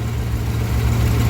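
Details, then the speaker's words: 1955 DeSoto, supercharged 392 HEMI V8, idling after tuning: deep, steady, lumpy burble rising slightly toward the end, running evenly and crisp; vacuum 14–15, idle screws about one turn out, fuel pressure possibly low. "So this definitely sounds pretty crisp at the moment though."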